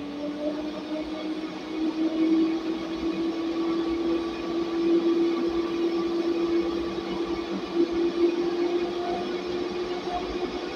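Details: Noisy DC fan on a server rack with a 20A 60V PWM speed module, 53.3 V input turned down to 29 V output: even, clean whir at slightly reduced speed, no rubbing or ticking, running normally.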